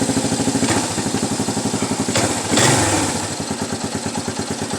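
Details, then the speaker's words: 1992 Suzuki LT230E Quadrunner single-cylinder engine after cam chain tensioner adjustment: even chug at idle with one throttle blip and no ticking or top-end rattle. The earlier ticking is gone and the engine sounds healthy. "Holy crap! Ticking is gone. it is considerably quieter."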